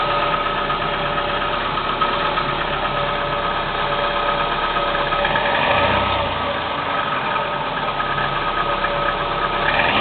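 Cold idle with an uneven knock, about three a second, riding over the engine hum; a knock whose cause can't be pinned down by ear.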